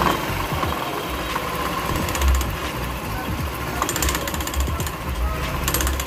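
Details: Customer's scooter CVT, cover off, a variator part found fitted backwards: fast metallic chattering rattle over the motor, swelling on throttle; suspected centrifugal clutch, found worn clutch shoes scraping metal on metal.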